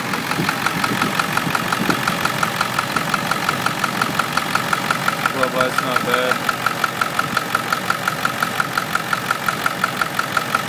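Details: Ford 7.3L Power Stroke diesel on a moderately cold start: a regular light tick of about two per second over the idle clatter, from the passenger-side valve cover area. The knock is intermittent; owner suspects a bad injector, unconfirmed.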